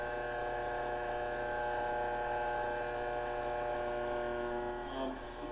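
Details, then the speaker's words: 1940 Zenith 10S464 antique tube radio on first test power-up, brought up slowly to about 85–90 volts: steady low hum with an even stack of tones, no station audio yet, getting louder as the set comes alive; normal mains hum. "we'll hear some sound by then we're at 85 volts that's getting pretty loud"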